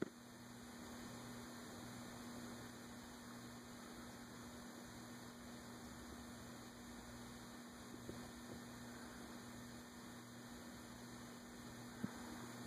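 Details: Envirofan Gold Line 36" industrial ceiling fan model 136F, 2012, mounted close to full rafters, running at medium-low on a custom four-speed control: quiet, even low hum with no ticking, rubbing or wobble; runs smoothly, normal.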